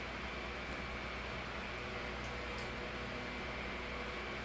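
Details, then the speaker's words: 2007 Holmes 12-inch desk fan HDF-1209, cleaned and serviced, on medium: soft, even rush of air with a faint steady tone, no ticking or wobble; little change from low, as a 16-inch motor drives a 12-inch blade; normal running. "yeah not much not much difference there in airf flow it's almost similar and that's a it's the same thing with the high speed really sounds like a blizzard fan here yeah not really bad"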